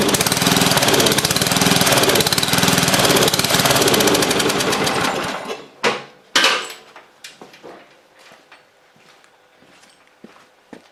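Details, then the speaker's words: Free old Lawn Chief riding mower, used last year, started on a dribble of old gas with a temporary battery hookup: fast-firing small engine catches and runs loud about five seconds; it runs but needs fresh gas, tune-up, new battery cable. "it definitely is some fresh gas and a tune-up and a new battery cable in but hey she runs"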